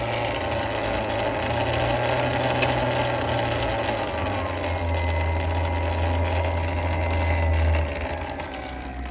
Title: Talaria MX5 clunking / clicking what is this noise? #surron #talaria ebike dirtbike emoto chain